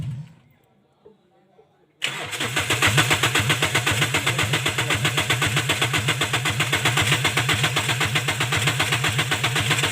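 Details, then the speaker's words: Toyota Corolla XLi/GLi converted from diesel to petrol: a long crank before starting, the starter churning at about four pulses per second for many seconds without catching. Caused by a faulty cam/crank sensor signal wiring. "तो गाड़ी में यह मसला है कि गाड़ी बहुत लंबे सेल अप के बाद गाड़ी स्टार्ट हो जाती है ठीक है"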